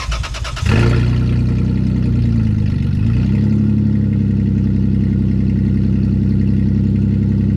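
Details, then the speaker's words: Lexus cold start with the exhaust pipes removed: cranks briefly, catches and flares, then settles into a loud, raw, unmuffled fast idle; straight-pipe noise from the missing exhaust. "I'm gonna do a cold start without the exhaust on there so yeah I can hear what you're saying like a lot of people like to hear straight pipe cars to me sound like no loud crowd"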